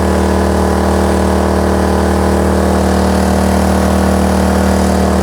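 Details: Kraft&Dele KD681 3000 W inverter generator carrying about 2 kW of heater load with output holding 230 V: firm, even hum at constant pitch, no hunting or surging; running healthy.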